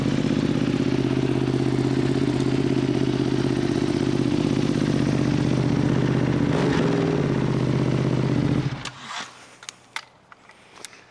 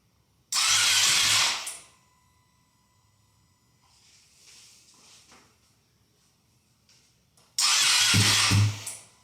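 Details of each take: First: Rebuilt, previously wrecked Ducati V2 Bayliss. A loud, even, lumpy twin idle with no misses or knocks before shutdown; healthy. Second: Ducati V2 Bayliss rebuilt from a wreck, start attempt in neutral with little fuel and the ECU unbolted: two sluggish one-second cranking bursts that never catch; battery suspected weak, not confirmed.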